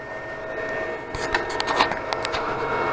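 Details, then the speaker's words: Anycubic Chiron 3D printer printing: sharp irregular extruder stepper clicks over motor whine, extruder skipping because nozzle is too close to the bed; clicking stopped after raising it. "Now I'm hearing my stepper click."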